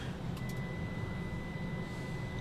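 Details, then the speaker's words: SAE Mark IIICM amplifier driven with 1 volt RMS input at about 81 watts per channel, THD 0.006%: thin steady high whine around 2 kHz over low rumbling hum; amp whining under high output. "definitely hear the amp whining 81 watts thd .006 still nice"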